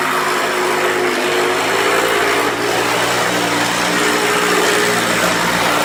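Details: 1994 Hoover Turbopower 2 Autosense U2462 upright vacuum, tested with a belt borrowed from another machine: steady high-pitched whir with coarse, rumbling roughness underneath; brush roll sounds rough, possibly tired bearings.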